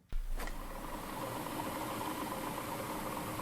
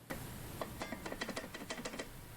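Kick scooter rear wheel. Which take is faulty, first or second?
second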